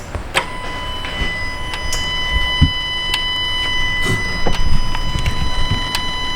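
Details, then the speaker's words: 2018 Dodge Ram Hemi, warm idle after removing the intake manifold and confirming MDS solenoid wiring and grounds with no codes: sharp, distinct deactivation solenoid clicks about every second, louder when warm. Normal cylinder deactivation solenoid operation. "all right so you guys can hear that one clicking on and off they quite a bit louder now that it's warmed up"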